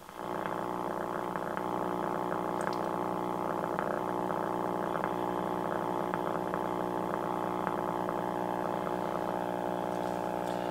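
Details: 1951 RCA Victor 1-X-51 AM vacuum tube radio, 72 years old, powered up on the bench out of its bakelite cabinet: steady low raspy power-supply hum; owner suspects a filter capacitor not hooked up or wired in the wrong place.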